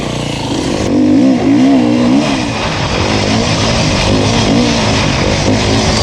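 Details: 2019 Beta 350RR four-stroke enduro bike ridden on a Finnish enduro track, a crisp bark pulling cleanly through the revs with no knocks or rattles under load; the engine runs healthy and the rider rates it really good.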